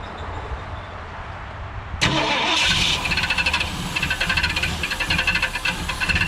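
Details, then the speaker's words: First start of the 289 V8 in a 1967 Ford Galaxie 500 before break-in: the engine runs with a fast, raspy scrubbing chatter over the idle. The owner believes the replaced crank-to-fan pulley is touching another pulley, since clearance there is tight. "I know what that is. I think it's my pulleys touching. That makes sense. Sounds about what that would sound like."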